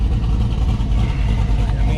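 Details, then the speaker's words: Custom 1967 Chevelle V8 with fairly quiet exhaust pipes: deep, steady idle with a slight rhythmic cam lope; sounds healthy and even, quiet enough to be streetable. "mean, it sounds good. You can hear the cam, but it is pretty quiet, which makes it, to me, a little more streetable or long drivable."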